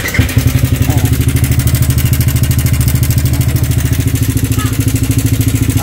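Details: Sniper 155 motorcycle at 19,402 km, idling before repair: a fast, even rattle at about three per second over the idle from a slack timing chain with a failed tensioner; could jump the chain if ridden.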